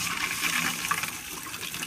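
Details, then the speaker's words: Buried pool pipe leak on the skimmer suction line, which lost pressure in testing: tracer gas was pushed through the pipes and escapes with a steady watery hiss and fine bubbling, pinpointing the leak. "Et on entend très bien. Fuite détectée."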